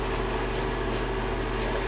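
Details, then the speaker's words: Symmons tub/shower valve with water on: steady hissing spray with a faint constant tone, continuous leak from the valve; cause suspected to be a loose part, not confirmed. "Well, I guess it is leaking, huh? Wow."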